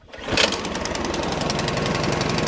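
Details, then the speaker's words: Craftsman snowblower cold start: fuel tank full, key in, throttle at low-to-medium, primer pushed three times, choke on. One firm rope pull and the engine catches within half a second, settling into fast, even firing on choke. Normal cold start. "from here we're going to take our choke and we're going to turn it back one click at a time one 2 3 another click one 2 3 and we're good from here move your throttle up and just like that she's ready to go"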